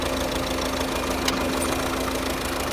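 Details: 2009 Volvo S40 1.6 diesel at idle: rough, uneven idle with loud busy clatter and a steady droning hum; misfire and weird engine noise, cause never found.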